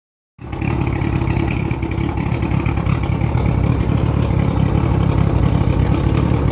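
Outboard running low and rough around idle with some revving, an uneven rattly drone underneath; something's off, cause not clear.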